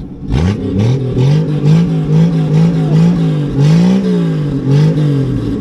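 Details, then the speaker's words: 1967 Plymouth Valiant two-door sedan, six-cylinder, exhaust off, bought non-running and smoking heavily: raw, loud open-header blats rising and falling with each throttle blip; revs freely and picks up quickly, warming up. "give her some rev oh yeah six cylinders of Fury baby six cylinders of Fury"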